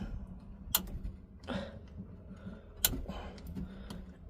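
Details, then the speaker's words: 1966 Ford Econoline being revived: with power confirmed at coil and points, distributor points snap sharply every second or two while cranking over a quiet background, blue spark visible; normal ignition points operation. "The points are snapping there."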